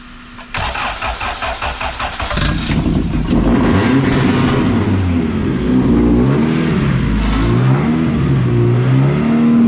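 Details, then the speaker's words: All-motor LSV-swapped Civic EF hatch started with starting fluid at quarter throttle: quick cranking into smooth steady idle, no ticking or knocking; earlier noise fixed by adding missing timing gear spacer; possible exhaust clamp noise. "we might have some noise from the clamp to the to the exhaust so we may have to figure that out but she's quiet boys"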